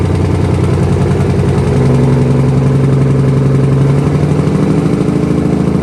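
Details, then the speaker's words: 1968 Dodge C500 truck, first start after air system repair, 55°F humid day: steady, deep, slightly lumpy idle, no knocks, smoky; runs fine and builds air pressure to about 90 PSI. "God damn, she runs. It's getting a little thick in here, though."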